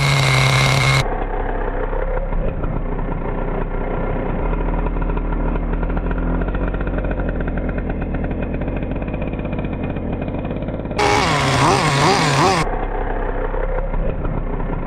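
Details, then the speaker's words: Schumacher Menace 21 nitro 1/10 truck, MGT 21-style engine, just fired with glow driver and drill starter: small engine buzzes high and busy, steady note with small surges; healthy, normal running. "1, 2, 3. That's how you easy these things fire up. Beautiful, huh?"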